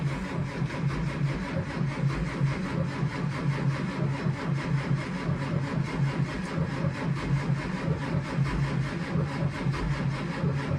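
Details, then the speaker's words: School bus, either the 2011 Thomas C2 (6.7L Cummins ISB) or the 2004 Blue Bird Vision (7.2L Cat C7), cold start at 23 degrees after being plugged in: a slow, uneven crank that never catches. Owner suspects cold oil is drawn in; the battery seems to be weakening. Cranks but will not start. "It actually sounded like it was gonna start, but as soon as it turned over the engine and pushed the warm oil out, sucked the cold oil in, straight back to not wanting to start."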